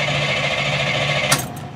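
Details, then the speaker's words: 1989 GMC 3+3 truck after upgraded 4/0 ground and starter cables: quick, even starter chatter spinning the engine hard but never firing; fuel pump not heard running, switch possibly broken; cause unconfirmed. "over like crazy never turned over that good so I I don't even hear the fuel pump run"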